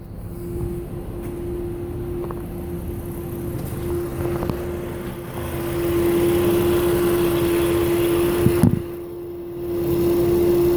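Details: 2000 Toyota Avalon XLS running with a steady mid-pitched hum from a failing alternator, which died just after a battery replacement; replacing the alternator and belts removed the sound.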